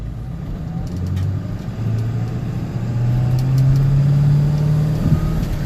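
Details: 1994-2003 Ford 7.3L diesel running: a rough, barking drone pulsing about three or four times a second; worn, dry serpentine idler pulley barking under belt load and engine speed, before pulley replacement.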